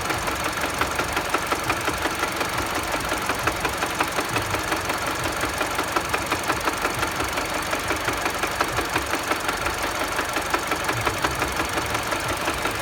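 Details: Mini Cooper engine at idle: a sharp, regular tapping knock at about three per second rides over the engine. The cause is undetermined.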